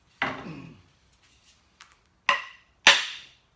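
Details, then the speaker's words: Axe being hung on a handle: three sharp, solid wooden knocks with clean decay and no rattle or buzz, the "bounce" sound showing the head is fully seated and fitted tight; hitting harder would only break wood. "Because it's a fit now. Yeah. I don't need to go wailing on it no more. Yeah. It's fit. It's seated down there."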